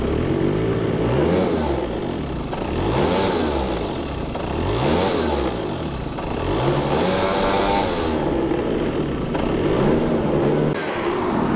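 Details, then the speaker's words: Two-stroke research scooter with owner's homemade CDI, tested with an unmarked Chinese spark plug cap; ran fine briefly then surges and repeatedly drops out; owner suspects the cap lacks interference suppression and picks up CDI interference. "Kyllä mä oikeastaan arvaan, kun siinä on se mun itse tehty CDI, niin että siinä tulpahatussa ei oo hääriösuojasta, kun se on kiinalainen, niin se ottaa liikaa häiriötä siitä."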